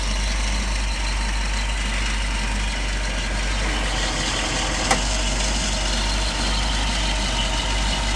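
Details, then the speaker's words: 1967 Citroen DS 21 Pallas, 2.1 four-cylinder idling, heard under the bonnet, starts well hot or cold, no overheating: smooth, even low idle, steady beat, no knocks or misses, suspension pump occasionally kicking in and out; normal idle. "here we are little 2 point uh 2.1 engine four-cylinder doing what it should you can also hear the suspension pump occasionally kicking in and [Music] out but uh just does what it's supposed to"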